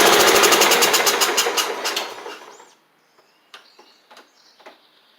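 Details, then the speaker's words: John Deere L110 riding mower: loud rapid chugging fades and dies within seconds as soon as fuel is picked up; owner concludes the fuel pump is overwhelming the carburetor, flooding it. "now that fuel pump is overwhelming it that's what it is cuz it's doing the same thing as soon as it picked up right there it's uh yeah literally just overwhelming the um carburetor"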